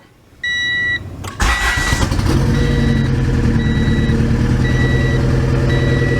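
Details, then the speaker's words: Honda Prelude after new head gaskets, check engine light on: warning chime, cranks and catches into uneven stumbling idle; misfire because one fuel injector connector was left unplugged after a rushed reassembly. "Oh yep that'll do it that will do it there was an injector not plugged in right there this is what happens guys when you friggin when you rush things"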